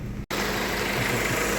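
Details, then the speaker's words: 1998 Honda Civic with replacement used engine after rod bearing failure, about 70 miles on it: low, even, quiet idle like a sewing machine, no knocks or ticks, bottom end healthy; normal idle. "very quiet actually one like a sewing machine no oil leaks from around distributor Val cover sealed well"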